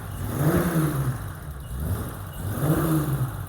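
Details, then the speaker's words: BMW E30 325i cabrio (M20) with a cam: throttle blips sound lumpy low down then smooth out as revs climb; miss not from the cam, very rich; owner suspects fueling or leaking injectors, untested. "So she clears out, but then she battles low down. So it can come down to leaking injectors as well, and I think we got to test that afterwards."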